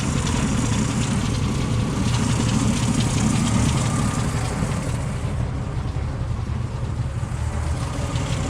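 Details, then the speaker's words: 1977 Ford F-150, 4.9L 300 cu in straight six, cold after radiator replacement with choke set fully open: low, uneven, lumpy idle with occasional stumble, like a miss; owner can't find cause, forums suggest it's normal, no acceleration issue. "If any of you guys have a straight 6 300, and you can figure out why it's got that, like, what sounds like a miss at idle, put it down in the comments."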